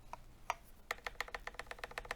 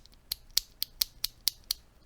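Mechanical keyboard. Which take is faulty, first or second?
first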